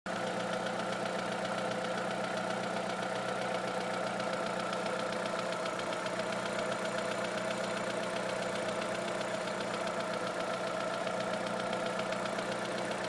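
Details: Opel Astra engine: light, fast top-end tapping, about four per second, over a steady idle; tapping speeds up with acceleration and goes away above 2000 rpm; cause unknown.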